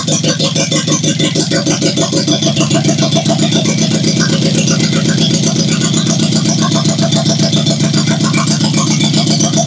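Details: 1972 Toyota Celica with swapped JDM 18RG twin-cam engine, running with no coolant: running fast and uneven, a ragged clattery pulse about 220 a minute that never settles into a clean idle; rough running.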